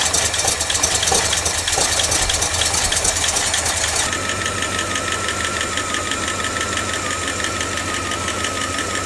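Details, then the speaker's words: 1989 Dodge D200 first start after cam bearing rebuild: fast, light ticking over the idle tracking engine speed as it settles; noisy lifter expected to quiet down soon, fuel leak found at braided rubber line afterward. "got a Ticky lifter right now but that should go away soon"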